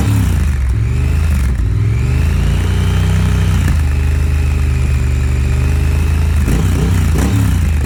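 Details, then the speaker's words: 2018 Triumph Thruxton R after removing the stock catalytic converter and fitting a Motone X-Pipe, warm and on the stand: deep, even twin thrum at idle, then clean blips up and down, steady pulses with no knocks or misses; normal idle and revs. "Warm up now, so we'll call the X-Pipe project done. Love the way that it sounds, the way that it looks."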